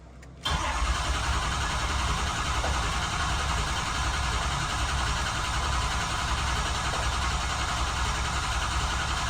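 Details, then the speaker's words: 6.0 Powerstroke diesel truck with a hot crank-no-start, ICP reading around 240–245 while cranking, new alternator: after a brief pause it catches at once and settles into a steady, even idle with no stumbling; normal start. "there it goes we're going to let this thing warm up to normal operating temperature"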